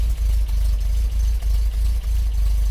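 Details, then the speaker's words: MGB GT running poorly, tiny bit of choke on, heard at the exhaust: low idle with irregular dips and stumbles about three times a second; rough idle. Black exhaust suggests a rich mixture, and the owner suspects valve clearances. "so we will test that but the unevenness of the fire in makes me want to check the valves first"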